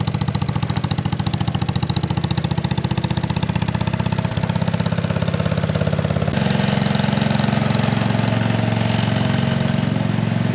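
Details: 1957 Gard'n Mast'r tractor, Briggs and Stratton series 23 9hp single-cylinder, revived after decades sitting, car ignition replacing magneto, during test drive: about two beats a second, uneven hunting beat; not running right, cause unconfirmed.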